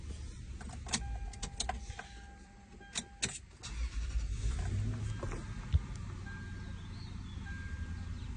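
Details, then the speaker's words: Toyota secondary air injection system after fault found, scan tool monitoring pump pressure; a few clicks, then a steady low electric hum over idle as the air pump kicks on, pressure above 0.3, then it shuts off; normal operation. "See that the pump is kicking on. PSI is above.3. The pump turned off and it's looking good."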